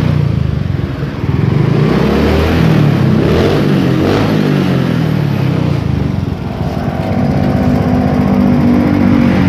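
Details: Yamaha Mio J scooter that had been hesitating (brebet) with MIL flashing 15 times, after the fault code is cleared with a diagnostic tool: steady idle burble, a slight sag midway that recovers and holds even; runs normally now.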